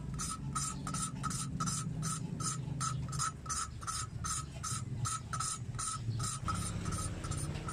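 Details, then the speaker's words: Hand-lapping a Honda small-motorcycle valve with fine lapping compound, no drill: even, soft, uniform back-and-forth rasping strokes after about 5 minutes, smoother than the earlier rough sound; the valve seat is lapped smooth and has bedded in. "Oke, bunyinya sudah semakin halus. Berarti sudah cukup ya."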